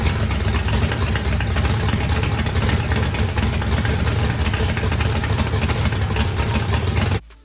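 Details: Freshly built turbocharged 409ci small-block Chevy V8, higher compression, first start after timing set and fuel pressure adjusted: a loud, even, deep lumpy idle with no knocks or ticks. Good oil and fuel pressure. Normal idle.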